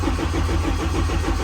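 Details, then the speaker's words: Race car in winter, cranking with injectors disabled to build oil pressure, with 93 fuel mixed with leftover methanol/ethanol in the lines. The starter turns over in a slow, even chug of about six or seven beats a second and never catches, slow cranking from a weak battery. "And then, check if we got fuel pressure, but our battery, you can tell our battery's not very good right now."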